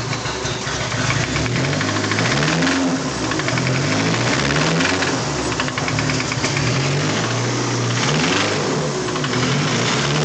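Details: SR20DET turbo petrol engine, installed the day before, idling with a steady, fast, hard bottom-end knock: rod knock.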